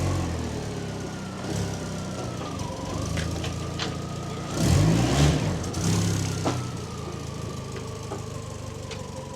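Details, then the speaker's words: Fiat Panda after the rear exhaust box was fixed, with the front exhaust section still leaking. It has a lumpy, uneven petrol idle with deep chuffing and occasional surges: an engine misfire plus the front exhaust leak. "As you can hear, it sounds a little bit better, but we've now got to contend with the misfire [music] and the exhaust at the front."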